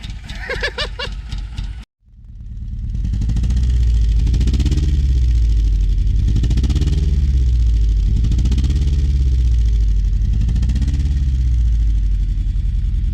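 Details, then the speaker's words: Mitsubishi Lancer GSR 1.8 turbo four-cylinder, first start after a new fuel pump was fitted because no pump buzz was heard: brief crank, catches into a deep rumble that swells and sags every couple of seconds; running rough, but quiet. "I think I can hear the fuel pump. It's quiet. Oh! What the? It's running, kind of."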